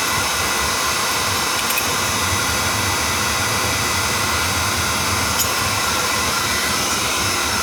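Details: Home oil boiler burner with the control jumped out, after bleeding the pump to check oil flow because of a suspected dirty tank filter: an even, unbroken burner roar with no pulsing, sputter or dropout. Oil flow is good.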